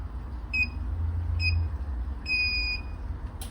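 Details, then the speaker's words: Reebok ZR9 treadmill after a fix for an intermittent beeping fault: three clear high start-up beeps, two short then one longer, over a low room hum; console now starts normally and the machine is fully working. "and we've gone from an intermittent bleep head to a fully working machine"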